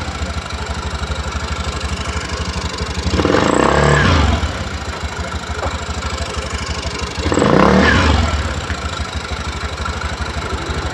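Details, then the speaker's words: Honda Vario 110 eSP after replacing clutch shoes worn to nothing, which had caused severe CVT judder and slip: steady idle with two smooth revs rising and falling cleanly. The CVT now runs normally. "Dan sudah sembuh ya teman-teman, pastinya ya, karena tadi tidak ada kampas ganyanya, makanya slip ya, gredek luar biasa."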